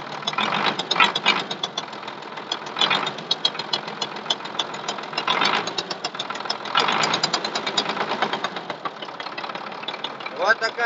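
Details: MTZ 1221 (Belarus) tractor diesel at idle: sharp, regular ticking knock in the cylinder head at a steady beat; an injector was replaced and checked, yet the knock persists, cause unknown.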